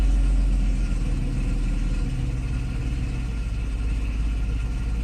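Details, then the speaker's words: Mercedes SL600 after repair of its throttle-body (E-gas) module, which failed from shorted wires and was bypassed, and after idle learning. Steady low even rumble with no misses; idle speed and acceleration okay. A screeching noise may be the loud air pump. "so yeah it looks like idle speed is okay acceleration is okay too"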